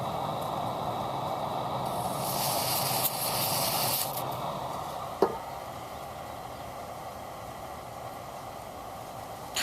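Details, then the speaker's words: European-made RCA Victor AM/FM/shortwave transistor radio, rusty and moldy, transistors hit with freeze spray: loud steady hiss drops to a lower but still present hiss; noisy audio stage only partly quieted, bad germanium transistor suspected. "It quiets down, but not totally, and that's not necessarily what I'm looking for."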